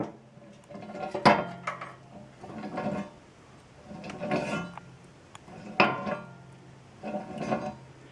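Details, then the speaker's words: 2006 Honda Element wheel bearing, removed with the knuckle and turned by hand: gritty metallic clatter in bursts from a rough, worn bearing, judged toast and replaced. "that bearing trying to hold the Press still oh well you get the gist it's toast"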